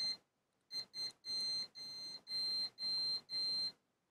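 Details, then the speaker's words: Manta SPK15GO Bluetooth speaker mainboard, multimeter in continuity mode on the SS54 diode: high steady beeps in short bursts of varying length, about two a second; intermittent continuity, owner suspects a capacitor discharging. "znowu się rozładował jakiś kondensator a teraz mam w trybie ciągłości"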